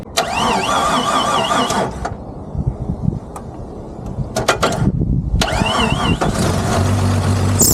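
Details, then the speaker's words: 1994 Jeep Cherokee auction car, running: loud, wavering high squeal in bursts from the serpentine belt slipping over an apparently seized alternator pulley. "that alternator ain't turning for nothing at all I was wondering cuz whenever you crank it over the fan wasn't turning it any bit uh cuz it was slipping on the water pump it seemed like but that alternator is completely seized or something cuz that thing is not running"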